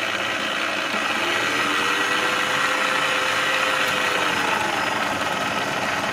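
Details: Clatronic KM2718 1000W kitchen mixer after repair of loose/torn drive belt (metal disc fitted over gear to keep belt in place): steady even whir, no knocking, slipping or rattling; normal run.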